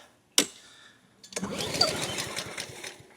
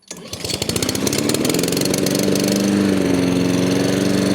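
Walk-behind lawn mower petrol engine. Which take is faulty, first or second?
first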